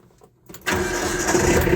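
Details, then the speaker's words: Kubota B3000 tractor after OPC fuse fix: near silence, then engine catches within a second into a steady even run; with seat flipped forward it keeps running, fault fixed. "Okay out we come good super she's still running good we fixed it"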